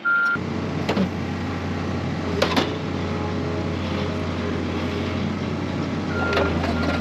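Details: Diesel front end loader (1638 hours) running again after a faulty small wire switch on the injection pump was fixed: steady, smooth low drone under a high reversing beep. Healthy while backing up.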